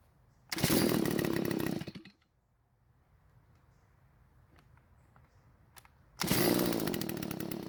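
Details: Garage-sale Stihl two-stroke trimmer, primer bulb finally filled: buzzes about a second, cuts out, fires again, won't stay running when the trigger is squeezed; owner suspects lean carburetor, possibly a clogged spark arrestor screen.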